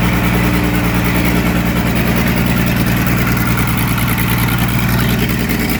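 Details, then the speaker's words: Muir Hill tractor diesel after rebuild with new liner and rings, oil system primed, first start-up: steady, even idle with a smooth low rumble, no knocks or misses; sounds like a new pin, normal idle. "Wow. Sounds like a new pin. Okay, that sounds lovely."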